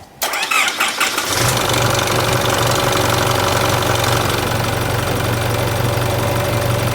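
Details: Isuzu Euro 4 diesel started for the first time after replacing the pulley on both A/C compressor and alternator belts (previously loose belts squealed on first cold start of day): cranks, catches, settles into steady even idle with no squeal or chirp.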